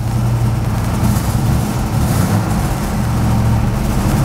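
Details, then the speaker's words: Ford Fairmont V8 at idle: a loud, lumpy idle carrying a loose metallic rattle from an exhaust cutout valve that had been bent after hitting the ground and straightened, with a sunken bearing and rusty parts. "I had to go back in and bend everything straight and get it all to work again, but as the car was running, it was rattling like crazy. It was driving me nuts."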